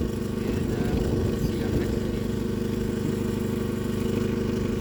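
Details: 1995 Mazda Protege 1.5L chasing a mystery misfire, started after a recent distributor-cap part replacement (cap had been clicking): steady low putter about three beats a second with no stumble or skip; engine now runs smoothly.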